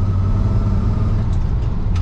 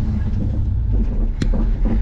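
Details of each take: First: Lifted squarebody Chevy on test drive with hubs likely locked, after fix with a spacer: steady low drone, no knocks or clunks from the transmission tunnel anymore; drivetrain noise gone after repair. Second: Lifted squarebody Chevy truck driving forward with the hubs locked, clutch replaced this summer: one sharp dull clunk over the low driving rumble from the transmission tunnel area. A worn transmission mount.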